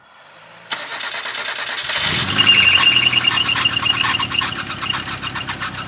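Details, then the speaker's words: 1990 Ford Festiva engine that sat six years, before a DMSO engine oil flush, exhaust also loud: cranks and catches, then light quick ticking of about three per second over a loud idle. Owner believes it is top-end lifter noise. "I'm going to start this for you so you can hear what the lifters sound like and that way we can see if um the engine flush helps out at all I think it's just top end noise"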